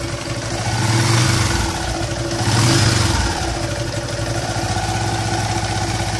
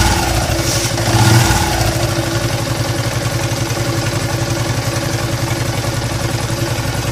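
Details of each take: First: Yamaha LC135 single-cylinder motorcycle, engine warm, after repair of droning/whistling noise traced to crankshaft: blipped twice from idle, revving cleanly with no drone or whistle. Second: Yamaha LC135 motorcycle engine idles with a rough, throbbing drone after a quick blip, pointing to a worn crankshaft.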